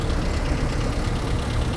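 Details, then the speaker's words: Long-abandoned 1960 Honda N600 with Jeep 4x4 running gear, first start after purchase: a low, even rumbling idle without standout knocks, running okay; the carburetor is suspected to need cleaning. "oh how about that it does run it does run it doesn't sound bad either huh"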